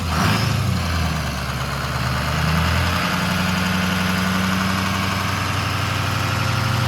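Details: Ford 6.0 Powerstroke V8 diesel, first fire-up after rebuild, idling to build temperature before a drive; steady low rumble at even idle with no knocks or misses; normal idle.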